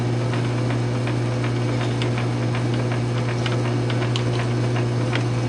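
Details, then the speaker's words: South Bend 9" lathe newly converted to a quick-change gearbox with a 3/4" 12L14 leadscrew extension, slow threading cut that produced a perfect thread: steady low hum, light even gear-train ticking, smooth and quiet; normal running. "And there you go. Perfect thread. So Gearbox works out great. Hell of a lot easier than change gears."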